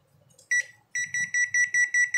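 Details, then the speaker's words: Automatic washing machine PCB powered on its own after a faulty start button was fixed: one short high beep, then about eight evenly spaced beeps; normal power-on beep. "ये देखिए, मैं जैसे supply लगाऊंगा तो इसमें beep की आवाज़ आएगी।"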